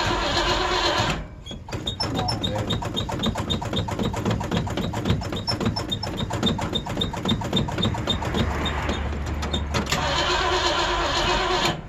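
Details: Old Ford Bronco, first cold start: engine stops, then long steady starter chugging at about four per second with lots of pedal pumping before it finally catches. Hard cold start.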